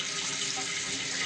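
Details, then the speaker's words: 30-year-old Kohler toilet with new Fluidmaster universal repair kit, refilling until float stops it: steady even hiss, no sputter or hammering; fill valve working normally. "about the speed that the toilet is filling up and there you have it once that float gets to the top it'll stop filling"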